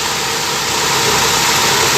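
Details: Gen 2 Toyota Corolla twincam liftback: smooth steady idle with soft even hiss, no ticking or valve chatter; engine mounts steady, no shaking; normal idle.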